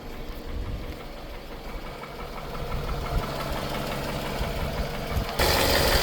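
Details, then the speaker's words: Engine idling with a dull rapid knock about three beats a second, recorded before trying thicker oil and Lucas oil treatment; rod knock suspected, not confirmed. "So today I'm going to do both of those things and see if that fixes whatever knock or tick I have in this engine."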